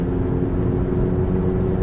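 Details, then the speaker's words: Stage 2 VW GTI with APR downpipe and a Vibrant 17950 resonator replacing the factory front muffler; in-cabin, windows up, cruising near 2500 rpm. Steady low hum with only a faint boom; the drone that began at 2800 rpm is drastically reduced. "It doesn't eliminate it, but it is drastically reduced and almost sounds stock all over again."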